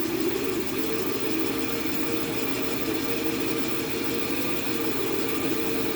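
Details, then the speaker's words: Grizzly bandsaw after a guide bearing change: smooth, steady whir with an even mid-pitched hum, no grinding or rattle; the new guide bearings run cleanly. "the bearings have activated and the bearings are clean and they're doing what they're supposed to do to do"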